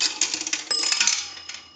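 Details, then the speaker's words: 233G three-slot payphone during checkout after repair: nickel deposit with coin clatter, then a single bright bell tone that rings out and fades; nickel correctly rings the bell once. "A nickel. That'll ring the bell once."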